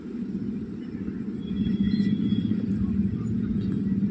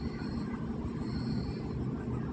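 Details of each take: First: Hyundai i20 (2012, petrol) idles with a steady, even low rumble and no miss after the misfire and jerking fix; vibration, heavy before, is now slight, and the check engine light has cleared. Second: Hyundai i20 2012 petrol (scanner shows 2016 1.2) misfiring at idle with check engine light and jerking; low, uneven rumble with irregular dips; scanner shows misfire on all four cylinders plus cam timing fault; shorted spark plugs suspected.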